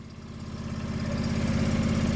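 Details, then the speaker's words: John Deere 445 garden tractor, fuel injected, derelict unused for a long time, cold start: even steady low putter with no knocks or misses, slight smoke; idles healthily, oil pressure light off and charging. "that sounds good we got oil pressure cuz the lights off and it must be charging"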